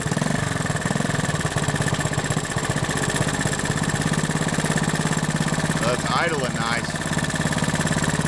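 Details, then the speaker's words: Honda 110 three-wheeler, single-cylinder, after carburetor rebuild and ignition points/timing work: starts easily and idles with steady even putter, about three and a half beats a second, no misses or knocks. "Nice. Yeah, it started nice and easy."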